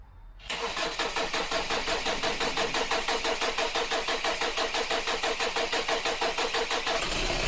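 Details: 2012 Kia Sportage 2.0 CRDi diesel, automatic AWD, cold start: cranks briefly, catches, then runs with a harsh clattering pulse about three times a second; hard cold start from a faulty glow plug control unit (glow plug plate).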